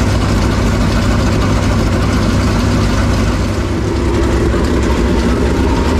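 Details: Super Late Model race car engine after the oil pump was realigned with the engine and the belt tension reduced, fixing a shredded oil pump belt: a loud, deep idle with a steady lope and no belt squeal or slap; normal running.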